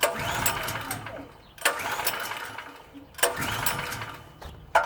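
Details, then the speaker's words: PowerSmart PS44 3000W generator that sat since 2017: three short bursts about 1.5 s apart, each catching then fading at once. It runs a split second after sitting. The owner suspects a fuel or carburetor issue from sediment; this is unconfirmed. "Yep. It's definitely a fuel issue. If I let it sit, it like runs for a split second."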